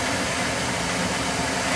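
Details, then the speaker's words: Oil-fired boiler burner, about three years old, after running out of oil, bleeding air from the oil line and cleaning the burner head: steady even roar with constant airy rush, firing cleanly with good draft over fire. "I cleaned the burner head, good draft over fire. And I had to bleed the oil line. Full of air, they ran out of oil."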